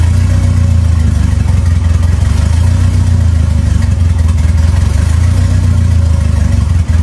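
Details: 2.3L turbo four Lima-swapped into Smokey on PIMPX batch-fire engine management, warming up for base timing check; deep, steady drone with even pulse, no knocks, ticks or misses; normal running.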